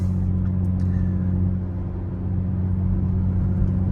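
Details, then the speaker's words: VE Holden Commodore V6 after heavy-duty clutch, single-mass flywheel and concentric slave replacement, driving first to third on suburban street: steady even engine drone, no slipping or rev flare; clutch operating normally. "slipping good smooth gear change I did go from first to third running to Suburban street so I don't want to go too fast but yeah it's uh it's doing what it needs to"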